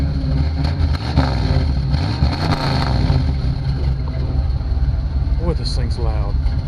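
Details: 1966 Chevy truck idling after an oil change with a better filter, oil pressure up and no leaks; deep, loud, steady idle with even rumble, no knocks or misses, healthy engine with a loud exhaust.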